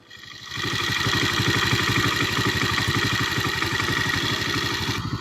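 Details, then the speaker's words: Road Prince 125cc motorcycle after repair of head noise: starts on a quick kick and settles into an even idle with steady low thumps, head tapping gone compared to before. "अब इसकी आवाज़ सुने, इसके हेड के अंदर बिल्कुल साउंड हो गया इसका हेड।"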